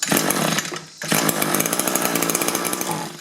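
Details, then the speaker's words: Echo two-stroke hedge trimmer with a replacement engine that only runs on choke: the buzz surges and drops out when the choke lever is moved, briefly dying then picking back up unevenly. "Yeah, move the choke lever and it won't run."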